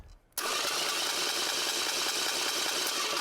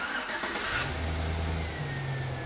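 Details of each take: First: hear that high-pitched whine well that high-pitched whine means that the starter is actually too far away from the flywheel Second: After starter clicking then no crank, starting system repaired: brief crank, engine catches and settles into steady, even idle with clean low hum while the alternator charges the drained battery; starts and runs normally.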